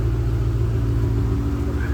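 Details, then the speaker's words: Old project Ford Mustang, idling just after a jump start from a dead battery: steady even low rumble with no knocks or misses. Healthy idle; let it run so the alternator can recharge the battery. "So, either drive the car for a little bit or let it run for a little bit and let the alternator have a little time to charge that thing up"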